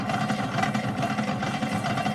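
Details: 1951 Stromberg Carlson Velvet Action record changer running: a loud, uneven, lumpy rumble with irregular thumps that never settles, from a worn idler wheel in poor condition that needs replacement.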